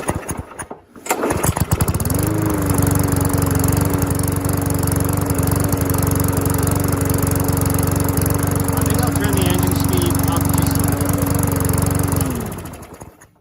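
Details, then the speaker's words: Curbside-rescued MTD mower with no air filter, running before the speed tab is bent; a steady, even single-cylinder beat, but a bit slow and low-pitched; owner thinks it sounds a little slow, unsure; low engine speed. "just got this little tab here and if you bend that it should bring up the engine speed a bit we'll see if that it just sounds a little slow I could be wrong"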